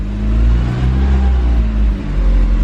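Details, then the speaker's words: Mini just reassembled, first start on a battery jumper: strong deep engine roar holding steady, dipping and picking up again, running evenly; something smoking under the hood, cause unknown, and no clutch pressure yet. "alright guys so the cart does run"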